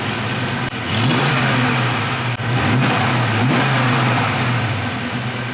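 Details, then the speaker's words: Fox body Mustang, after plugging lines, EGR unhooked: revs rise and fall unevenly with ragged beat and busy top-end clatter at the back, owner suspects noisy valvetrain; strong fuel smell, rough running unconfirmed. "Here's noisy valve train or something like this in the back. Kick it off."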